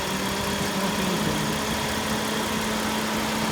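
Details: 2008 Kia Rondo V6 after replacing an AC compressor with a broken pulley. Smooth, even idle with a faint steady hum from the AC and no rattle or squeal; the compressor runs normally.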